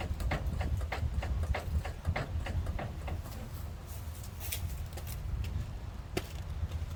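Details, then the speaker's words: 2014 Toyota 4Runner with KDSS, body rocked after new OEM rear sway bar bushings: sharp repeated knocks about four a second, rear suspension still clunking; worn bushings replaced but another cause remains. "Well, I just watched that video and it sounds like it's still clunking."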